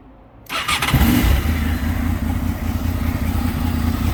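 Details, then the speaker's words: 2003 Honda VFR800 motorcycle, new spark plugs, recently cutting power while riding; after adding fuel treatment it starts and settles into a low idle with an uneven rattling patter over it, source unclear. "800, 2003 Honda VFR 800, and it's making a weird sound."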